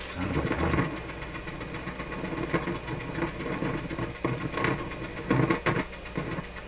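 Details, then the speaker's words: Nordmende Norma Luxus tube radio with a weak EL95 output tube and low volume: irregular crackles and scratchy bursts over a faint hum. Noise persists with volume turned down, so it originates after the volume control. Intermittent crackling output. "wow sounds like the radio's still working let me tell you it's definitely picking stuff up it's still a noisy when i turn the volume down so the noise is coming after the volume control"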